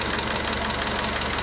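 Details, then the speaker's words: Newly rebuilt engine during break-in: fast, even light ticking of about six clicks a second over an otherwise smooth idle; loose valve lash, needs another valve adjustment, common with a new engine. "sounds like it's going to need a valve adjustment I just some earlier but with a new engine it's to be expected you might have to do it more than once but she's running nice and smooth the most part"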